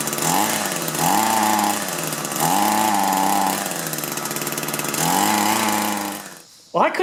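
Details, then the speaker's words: Echo two-stroke hedge trimmer with replacement engine, only runs on choke: surges up and sags in short bursts, won't hold high revs, then dies; poor throttle response while adjusting barrel carburetor screws, couldn't get it adjusted right. "So I'm having a hard time throttling up. I'm going to go ahead and start it up and adjust that and see if we can get it to throttle up."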